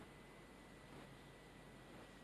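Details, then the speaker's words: Newly installed 9,000 BTU ductless heat pump running after a test showed no leaks and refrigerant was released from the outdoor unit. Very faint steady airy hiss and thin hum, no rattles; quiet normal operation. "the service valve and the valves that held the refrigerant in the outdoor unit and listen to how quiet that is"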